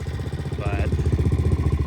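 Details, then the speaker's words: 2003 Suzuki LT-Z400 single-cylinder, ridden hard with sprockets changed: thumping about seven or eight beats a second with a hard metallic clank on each, louder than normal and never made this sound before; valves in spec, owner suspects valve wear, planning teardown and compression test. "it's definitely sounds louder than she normally does so that's why I'm going to go ahead and tear it down"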